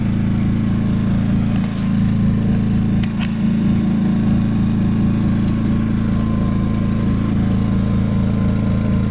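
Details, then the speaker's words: Predator 2000 watt inverter generator after repair of a whistle-like bad running, six Phillips screws retightened, on eco throttle: steady, even low hum with no surging or sputter; running normally. "Now let's fire her up. What do you say? There you go. Eco throttle. Sounds beautiful."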